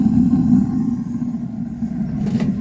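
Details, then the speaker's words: 2014 Keystone Springdale 320 fifth-wheel trailer, water heater run on gas with a self-lighting pilot, lighting about 30 seconds after pressing the switch: steady low roar with a faint click as the burner ignites. Normal burner ignition. "Takes about 30 seconds or so and you'll hear it light. You probably just heard that. Look down in there, you'll see the flames going."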